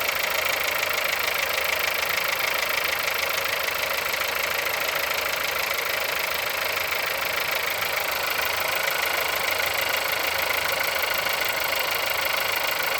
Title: Холодный пуск. Стук в двигателе. Пробег 176000.